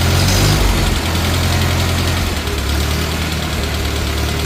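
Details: 1950 Farmall Cub four-cylinder tractor after engine rebuild with pop-up pistons, new magneto and on-off switch: steady even low thump, no knocks, misses or smoke; healthy normal idle.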